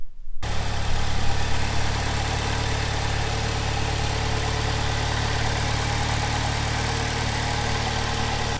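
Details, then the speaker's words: 2007 Saturn Sky with a lean-fuel code, after tightening the loose catalytic converter bolts: steady, even low rumble at idle with no ticking, hissing or earlier tapping; engine idling smoothly and sounding healthy. "that sounds a lot better I'm hearing any kind of weird noise any kind of vacuum and it kind of you know tapping or anything like that was happening before so I think that definitely was part of the problem"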